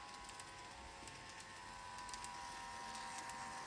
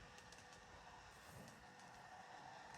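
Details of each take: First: Kato 521 series model train motor: thin steady whine with fast, even ticking clatter about three or four per second. The noise is back, though oiling has cured it three times before; cause unclear, perhaps dry bearings. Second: Kato 521 series model train on track after oiling, a recurring noise that oiling has cured three times: soft even whirr with light rail clicks, no grinding or rattle; running a lot better.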